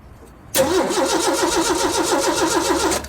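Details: Roughly 40-year-old Ford: even starter cranking at about six beats a second for two and a half seconds, never catches; crank no start, cause suspected but not confirmed.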